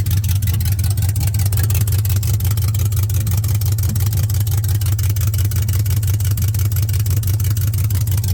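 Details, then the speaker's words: 1979 Camaro with LS swap: loud, deep, pulsing V8 rumble with a slightly uneven beat at idle; runs rough with essentially no exhaust pipe past the oxygen sensors. "let's see if we threw any more codes watch it's going to say shift solenoid A and B garbage and it's it the like I said it doesn't have any exhaust pipe"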